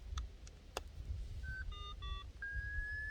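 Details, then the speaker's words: Minelab SDC2300 metal detector: a short high tone drops to a lower steady tone, the beep-boop confirming the switch to the lower threshold pitch. "so went beep boop so now we're in the lower threshold tone"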